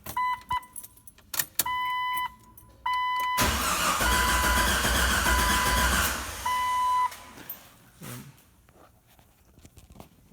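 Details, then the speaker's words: 1997 Jeep Wrangler 4.0 straight-six after an exhaust manifold and gasket job: a warning chime, then about three seconds of steady cranking that never fires despite fuel and probable spark; owner suspects the crank position sensor, unconfirmed. "now won't start it's got gas I think it's got spark but she's not firing"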